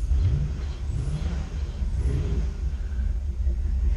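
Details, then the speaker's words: Boat engine running after a throttle rev has pushed the water out of the exhaust: a deep, loud burble that begins to quiet as the baffled muffler refills with water until it spills over. This is normal for this setup. "running, hear how it's loud. And then starting to quiet down, filling up, and right there it's spilling over."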